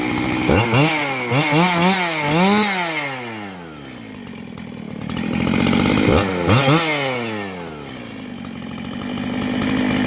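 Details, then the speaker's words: Husqvarna 268 chainsaw on first run after complete rebuild, clutch bar still to be replaced: crisp two-stroke revs climbing and dropping in quick blips, clean even pickup, steady idle between; normal running. "Boy, does that sound nice. I gotta replace the clutch bar."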